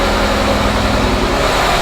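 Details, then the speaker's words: Honda Prelude, rebuilt H22A4, after replacing a spark plug following earlier misfire from incorrectly connected plugs: steady, even idle with no stumble and only slight vibration; misfire fixed though the engine still smokes heavily. "i was having a misfire issue and all i did was replace the spark plug and everything sounds good the idling sounds fine"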